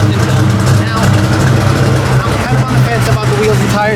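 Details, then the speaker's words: 1989 Ford Mustang notchback Fox body carbureted V8 (Brawler series carburetor): deep, even burble idling smoothly with no misses or hunting; normal idle. "so give it a Kick let you know that it still works nicely I'm tickled"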